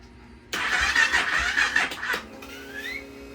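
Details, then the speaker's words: Honda Rebel 300 being revived after fuel pump repair; starter turns under two seconds with a labored, uneven churn and no catch. Weak battery dragging the crank; battery read 12.18 V (about 50%) despite being brand new, owner suspects cold or charging. "Now it sounds like the battery's bad. Let's go check the battery."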